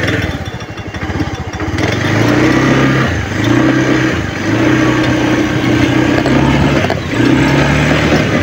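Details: Honda Beat FI scooter that stumbles, stalls by itself and starts hard: engine stumbles and surges unevenly, revs sagging and catching; fuel pump pressure measured low at 30–35 psi, weak pump causing fuel starvation.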